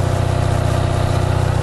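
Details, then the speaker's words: Onan 5.0 CCK-4R 5kW three-phase dual-fuel genset, small muffler, no load drawn, reading 120V, 61Hz: rapid, even, low pulsing with a steady beat, no misses or knocks. Engine runs cleanly. "And then we don't have any watts going in it right now."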